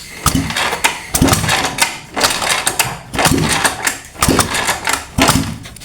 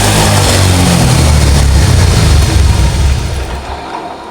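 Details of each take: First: Honda Vario 125 that stalled after washing, exhaust removed and ignition off: uneven whooshing kicks about once a second with no firing as the engine is kicked over to purge water from the combustion chamber. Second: Honda Vario 125 scooter that stalled after washing with water in the combustion chamber, kick-started with the exhaust refitted: revs cleanly and settles to a steady low exhaust beat. Water is blown out of the exhaust, and it runs healthy.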